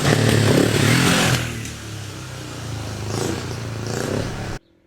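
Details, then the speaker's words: 1974 Yamaha XS500 twin, 6,000 miles, recommissioned after years laid up as non-runner with carbs, forks and seized front brake sorted; crisp revving hard, settling and pulling cleanly, no misfire or knocking: normal running. "i think you'll see for a 500 there's nearly 50 years old it absolutely flies and sounds fantastic so listen to this"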